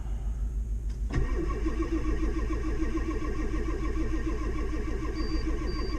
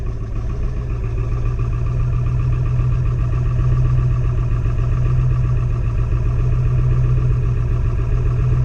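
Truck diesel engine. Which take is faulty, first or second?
first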